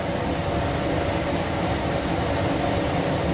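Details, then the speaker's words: ILG B-30 blower running wide open with the restriction plate removed, drawing 3.4–3.5 A versus 2.5 A restricted. A loud, steady rushing roar with a constant hum; not designed to run without back pressure. Overloaded blower. "there's definitely some air moving here it has no problem moving air at all but now as i said before these aren't designed to run wide open like this without any back pressure it is drawing more"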